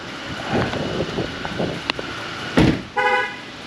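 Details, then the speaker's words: A single short horn chirp in a quiet shop from a Cadillac ATS twin-turbo 3.6 L: the GM alert warning that the key fob was left inside the car. "that's the GM honk for when you leave your key fob inside"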